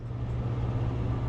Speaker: all right I started kneading up the wires a little bit it's still a mess there but our motor is running this motor is running